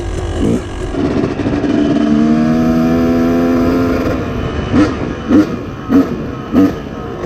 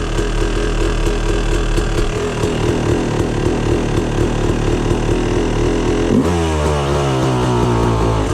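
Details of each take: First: 2004 YZ250 two-stroke, cold with choke on, BR8 plug and smaller 45 pilot jet: settles at idle, then four quick clean throttle blips with no bogging and slight pinging; crisp throttle response, maybe still slightly rich. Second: 2004 Yamaha YZ250 two-stroke, cold start on the first kick with the choke off: lumpy, wandering 'wow wow' burbling idle instead of a crisp ring-ding, then revs; running too rich.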